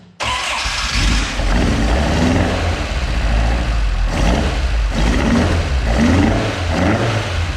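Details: Mk2 Ford Escort with Pinto engine, first fire-up after swap, camera on stand: starts, then loping idle swelling and dipping every second or so; lumpy because carburettors only mildly set up and still need setting up.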